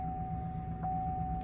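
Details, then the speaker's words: 2011 Chevy Silverado 5.3L with DOD, 72,000 miles, after replacing cylinder 7 spark plug for P0307 misfire code: low, even idle with no stumble or vibration and a faint steady tone; runs smooth, new plug appears to fix it. "So far, so good. No weird vibrations or nothing."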